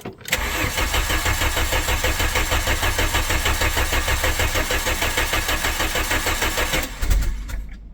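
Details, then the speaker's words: 1997 VW Vento 1.8 automatic that has not run. Steady cranking at about three beats per second for nearly seven seconds with a brief surge, but it never catches; crank, no start. "No, it won't start at all."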